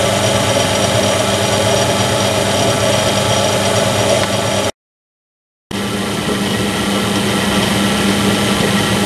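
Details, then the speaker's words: Low-cost bench drill after a modification adding oil lubrication to the spindle bearings: steady, even whir with constant pitch and no knocking or grinding; bearings running smooth and quiet. "I can actually hear the difference some from the oiling up sound really nice and smooth"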